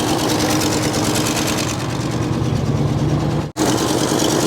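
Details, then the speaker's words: 1964 Mercury Montclair abandoned 28 years in Arizona, first start with fuel pump hooked up, no coolant: steady, even V8 idle with smooth low rumble, no knocks; oil pressure building, alternator charging, sounds like it's firing on all cylinders. "the alterator is charging the m gaug is charging sounds like it's firing on all a"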